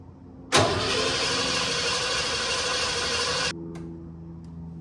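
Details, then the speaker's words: 1988 Ford F150 XLT Lariat 2WD after a fuel tank replacement with fresh fuel: the starter cranks steadily for about three seconds with no catch. No fuel was suspected, but fuel did reach the sending hose, so the in-tank pump works. "I want to say it sounds like there's no fuel getting to the motor when I try to start it."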